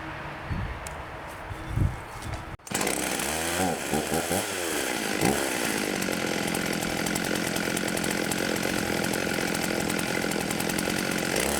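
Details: 1989 Husqvarna 50 chainsaw first run in years after carb clean with hardened metering diaphragms addressed, choke on then off: a few pulls, then it catches and settles into a steady, high buzzing run that holds even. Running fine.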